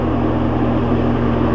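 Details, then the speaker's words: Old walk-in meat cooler's condensing unit, compressor running for the first time in over 5 years: steady, even hum with low drone and mild fan whoosh, no knocks or rattles. Running normally. "n and see if it works yeah i can hear the fan running"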